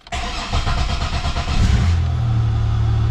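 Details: Buick, no-crank no-start revived with a battery maintainer, low on fuel: brief even cranking, then catches and settles into a steady idle without stumbling, alternator charging toward 15 volts; normal start.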